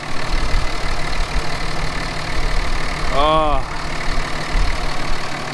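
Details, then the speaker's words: Salvaged Dodge Cummins diesel, number six cylinder previously treated with Marvel Mystery Oil, just revived: deep, steady idle with good oil pressure, even low rumble, brief chirp, slight smoke puff, no misfire or knock; normal idle. "good oil pressure good idol god lee listen to that baby purr oh yeah she puffed out a little smoky smoke"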